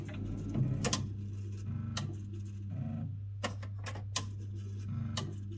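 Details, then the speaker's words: Chaffoteaux & Maury Nexia boiler powered up after its control board was repaired for a blown fuse; sharp, irregular relay clicks over a steady low hum, with false contacts when the board is moved. "Elle fait quand même ce cliquetis, c'est bizarre là. Il y a des faux contacts quand je bouge la carte."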